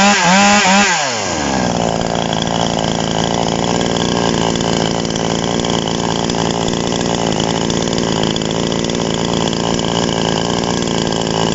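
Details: TOMITSU 5800-body two-stroke chainsaw, just after initial carburetor adjustment with a screwdriver: pull-start, then a steady buzzy run holding an even note through idle and revs; sounds healthy.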